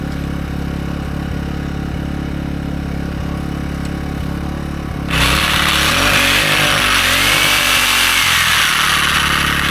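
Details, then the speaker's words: AiVolt 1600/1260 W gas inverter generator powering DeWalt's biggest reciprocating saw: steady hum, then the saw kicks in around five seconds and the engine picks up slightly, carrying the load without bogging; overload light stays off. "It's running the saw. No problem. Overload lights not coming on. So, it runs the sawz all no problem."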